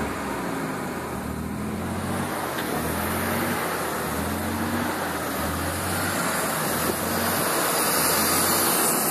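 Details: Nissan 300ZX petrol engine idling unevenly, low hum pulsing about four times a second under steady hiss; owner suspects vacuum leak.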